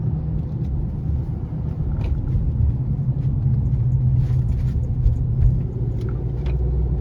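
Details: 2018 Honda CR-V, persistent since new: deep steady hum while cruising, most noticeable 25–50 mph; absent with front wheels lifted; owner suspects hub assembly or tires, dealers couldn't replicate, cause unconfirmed.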